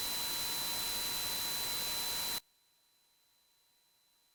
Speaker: i guess a sample of some of the like the coil line or noise that we were getting in our videos